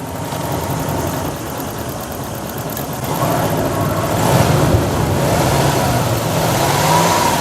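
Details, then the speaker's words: Lexus LS400 after new power steering pump and fluid flush, engine warming up, revved while steering lock to lock: smooth idle and revs with only a faint steady pump hum, previous whine gone. Normal power steering pump operation. "The engine is warming up, and as you can hear, all of a sudden the power steering pump went quiet."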